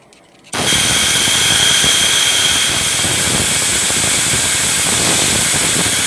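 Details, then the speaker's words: LS cylinder head ported for nitrous, compressed air through opened-up port on bench: loud steady deep air rush; deeper sound means less restriction than the high whistle around the guide. "and the deeper the air sounds i hope it shows up on the phone here my video because um the deeper it gets the the less the less uh restrictive it is"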